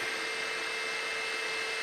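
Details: Mahor V4 pellet extruder on a Tronxy X5SA CoreXY 3D printer during initial test print: steady, even whir with constant mid tone, no knocks, clicks or skips; printing smoothly.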